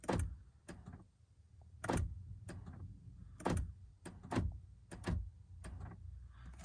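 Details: 2013 Honda Fit power door locks: sharp actuator clunks in quick doubles and triples with nothing pressed, randomly locking up to 10–20 times, also triggered by windows, wipers or horn; cause found to be a faulty door lock knob switch in the latch.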